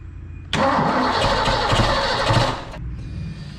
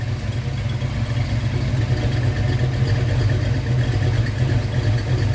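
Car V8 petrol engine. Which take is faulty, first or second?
first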